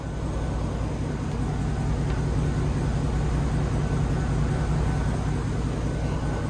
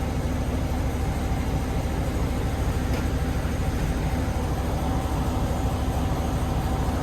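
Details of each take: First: 2007 Chevy Tahoe V8, coil-on-plug ignition: slightly rough idle and misfire with no codes, traced to a faulty ignition coil; after the coil fix it idles smoothly and evenly on all cylinders with no stumble. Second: 2007 Chevy Tahoe V8 with coil-on-plug ignition, slight rough idle and no codes, idling in reverse against the brake: uneven lumpy rumble from a cylinder 3 misfire, not fuel related; a weak ignition coil is suspected.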